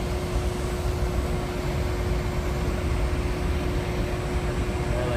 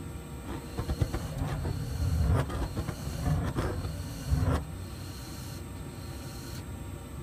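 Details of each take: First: New Trane modulating gas furnace after the gas regulator was opened and turned up from about 4.1: even, steady burner roar with a constant low hum, no puffing or flame dropout; normal burner operation. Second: New Trane modulating gas furnace, flame sensor just cleaned: burner roar surges and sags unevenly instead of holding steady; low gas pressure measured with a manometer, fixed by raising the regulator setting.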